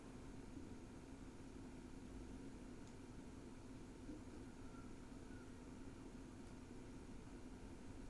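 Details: NAS (DS 93) with four Kingston SSDs in RAID 5, idling at about 19–20 W: barely audible, even fan hum with a faint steady tone and no clicking or seeking, a quiet, healthy idle.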